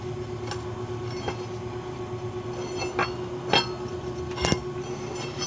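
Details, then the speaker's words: Suspension noise check with a bar levering the wheel upward: irregular dull clunks and clicks over a steady hum, with visible movement. Worn lower ball joint. "entonces se alcanzan a ver pero se está moviendo aparte que se oye un ruido"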